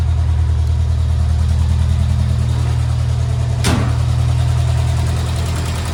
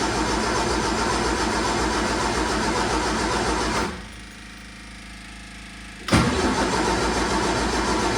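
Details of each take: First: 1978 MG, first run after carburetor work, in neutral, warming up before retuning the carbs: steady, even low rumble with no knocks or misses; normal idle. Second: 1978 MG with the carbs reset to base settings (idle mixture screws seated, then backed out), cranked late at night: two bursts of steady cranking, about four turns a second, never firing; owner suspects no fuel reaching the engine.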